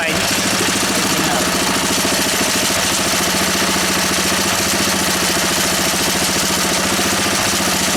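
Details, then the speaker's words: A Honda E300 generator engine, hard to start and awaiting a new spark plug, holds a steady, even beat at constant speed with no knocks or stumbles: normal running. "but we've got an engine that works you see and this is the big deal this year as you know"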